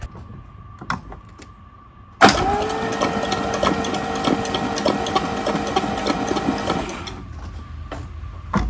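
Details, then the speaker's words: 1966 Mercedes-Benz 230S that sat 20–30 years non-running, crank attempt: starter engages with a loud whirring, funny-sounding noise and uneven chugging for about four seconds, turning the engine over slowly without firing. "Wow, she turns over. There you go. That's a funny sounding starter."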